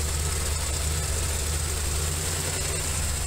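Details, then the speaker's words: 1981 Camaro Z28 V8, just over 200 miles, after valve adjustment and a quick spark plug fix: lumpy uneven idle with occasional stumble; misfire persists, owner suspects spark plugs. "Kinda. I think we still got a miss. Not sure what that is."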